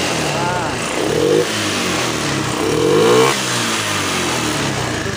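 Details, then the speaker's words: Honda Beat FI scooter that stumbled and died when throttled, after cleaning the throttle body: two quick throttle blips taken cleanly, dropping straight back to steady idle; normal throttle response. "udah normal udah di-invite selesai"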